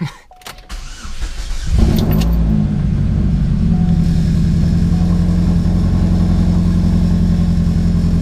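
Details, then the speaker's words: 2006 Chevy Cobalt SS, 15 years old, cold start in about 110°F Phoenix heat right after replacing all coil packs (previously misfiring, stalling at stoplights): cranks, catches, settles into steady even idle, no misses or hunting. "Guys, it's so hot out. It's like 110 down here in Phoenix. Super crazy hot. Cold start up in a Cobalt."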